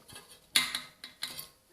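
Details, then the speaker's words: Bicycle wheel with aero (flattened) spokes touching where they cross: sharp, irregular metallic ticks and creaks from the spokes. It is worse when climbing, under high power or when braking hard; the front wheel is shown. "ing creaking annoying noises when you're you can hear on some spokes it can be even more uh dramatic when you're when you are uh climbing"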